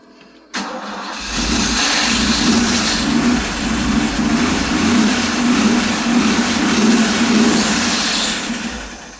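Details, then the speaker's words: Ford F-150 now starts on the key, but the engine runs with a gritty whirring hum continuing over the idle. The starter sticks on and stays engaged after start. "So we got the truck as turnkey run now. The only problem we have is now the starter wants to stick on."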